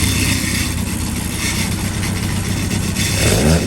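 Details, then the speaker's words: 1200cc Stealth engine on the dyno with a rebuilt pair of Dellorto carbs, heard from outside the dyno door: low, steady idle about 900 rpm, even clean beat, no misses or stumbles; carbs well balanced, normal idle. "It idles at like 900 RPM. Sweet, really good pair of carbs. I'm really pleased with them."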